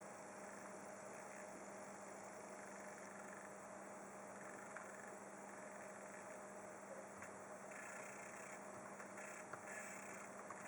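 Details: Asus Z170I Pro Gaming board with Skylake 6700K using integrated HD 530 graphics in Windows 10, page scrolling: faint steady buzz with higher hiss flickering as the screen updates; coil whine, absent in BIOS or with a discrete card; faulty motherboard.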